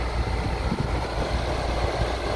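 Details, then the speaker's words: Compressor starting and running smoothly on a KRXNY 2000W pure sine wave off-grid inverter (48V DC to 120V AC 60Hz) alongside a 1000W microwave; a smaller inverter could not start the compressor; low, even compressor hum with no stumbling or cutting out, normal compressor running. "I don't know how many watts this thing is but the macro is 1000 Watts and the small inverter cannot start this compressor so this is running the compressor is on It Is Random"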